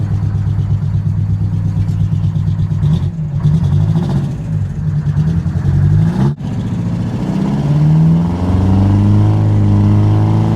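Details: Detroit 8V-71 two-stroke diesel in a 1969 International 400 dump truck, running after a fix for a cracked flywheel housing that broke the starter mount, injector rack checked after a runaway: deep even running with rev blips, likened to an air ratchet; healthy.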